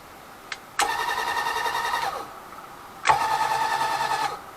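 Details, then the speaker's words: Grizzly G0758 mill DC Z-axis power head, finished and plugged in with its switch: two short runs of a steady, even motor whine with fan hum, clean starts and stops; power feed should work fine. "fan and we have a power head I think that'll work just fine"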